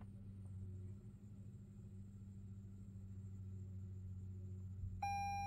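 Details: Hybrid car whose 12-volt battery is low: a low steady cabin hum, then a high warning tone at the end. The car won't start, the gauges don't work and the brake pedal pushes back.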